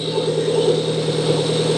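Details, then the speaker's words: Outboard motor idling after a new balancer was installed: steady idle with a thin, constant high whine from the worn timing belt tensioner bearing. "So, the motor's running, but I don't know if you can hear it. That tensioner right there is making a ton of noise."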